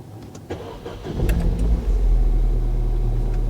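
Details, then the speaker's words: Ford Fiesta ST that previously misfired, first start after fitting a replacement ECU: brief cranking, catches first try and settles to a steady, even idle with no stumble; misfire fixed, healthy start. "oh my god it's not misfiring it's not misfiring are you joking is this real it's not misfired it's perfectly smooth"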